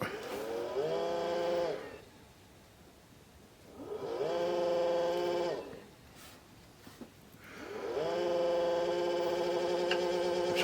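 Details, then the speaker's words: Original Xbox that had shown a flashing red light, being powered on repeatedly: three bursts of a rising whirr settling into a warbling hum. The startup sounds funky; the owner is unsure whether it is the fan or the hard drive. "sure definitely sounds funky with this one if it's the fan or the hard drive itself"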